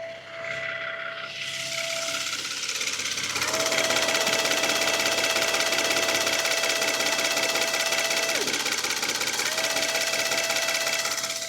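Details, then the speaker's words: Kia Stinger 3.3 Turbo with engine running; electric brake vacuum pump whine drops out and returns every few seconds as live data shows pump control switching on and off; fault is pump running constantly, unresolved by dealer, part awaited. "So is that vacuum pump control, if that's been powered on and off, yeah, that's been told to go on and off in time with it going on. So I don't know if you can hear the pump going on and off."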